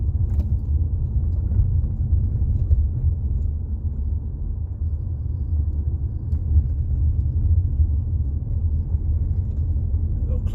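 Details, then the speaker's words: 2018 Jeep Compass after front sway bar link replacement, mic near floor by driver's feet, driving over bumps and U-turn: only steady low road rumble, no clunks or rattles; earlier clunk gone, quiet suspension. "noise is now gone. Going to hang my U-turn here. Let's see. All right. Quiet as a mouse."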